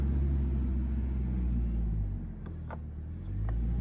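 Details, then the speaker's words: IH tractor being readied, 13.5 V battery with loosely fitted cable terminals: slow, laboured low churning about three turns a second that sags midway, starter barely turning the engine; slow cranking. "So that's the sound of it kind of starting. Kind of trying to... That was not pleasant."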